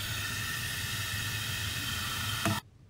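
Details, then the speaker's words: Toilet fill valve not shutting off: steady hiss of water running through the fill valve cuts off abruptly as the float height is raised by turning the adjustment screw clockwise with a flat-head screwdriver. "now if i raise this it also stops running so that's just a simple adjustment that we can make with the flat head screwdriver so okay you can hear it now i'm going to turn this screw clockwise and eventually you won't hear it anymore"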